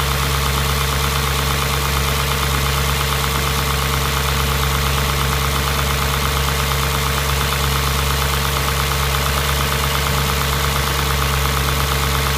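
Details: Audi S4 B6 engine at idle: loud steady idle with faint even ticking, about three per second, over constant hum; engine noise of unclear source.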